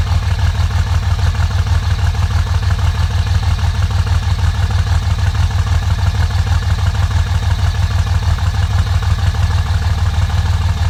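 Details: 2005 Dodge Ram on cold start: uneven, stumbling idle with steady lope about three beats a second, suspected dead cylinder, with smoke, smoothing out once driven; owner suspects bad injectors, unconfirmed misfire.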